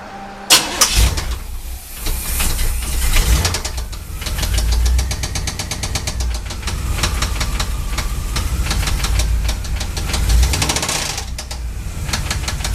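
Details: 350 small block Chevy V8: starts and settles into fast, steady knock over idle; began as a ticking when warm and worsened; suspected spun connecting rod bearing, engine to be pulled to confirm.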